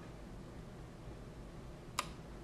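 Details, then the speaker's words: W1209 thermostat relay in a van/RV power system switching its cooling fan off as the temperature drops to 23.5 °C (on at 24 °C): a single sharp click over quiet room hum, a clean normal changeover. "So you can see it's about to turn off, 23.5. You can hear it click and the fan is back off."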